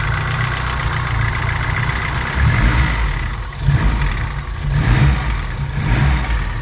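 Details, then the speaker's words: Honda Civic with a G23 engine built with F23A5 internals from a Prelude, cold idle: a hollow, tractor-like clatter near cylinder one or two that swells with throttle and fades once warm, piston slap. "it's when he addling make more noise so again you see when it's adding making more noise like a tractor so that's the Piston slap"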